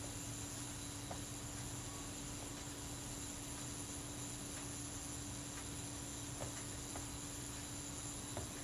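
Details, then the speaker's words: Kodak Retina Reflex IV self-timer after cleaning in solvent: faint, even buzz holds steady as it runs down with no catches or stutters; runs down smoothly. "You can probably hear that buzz as the self timer runs down. It's nice and smooth."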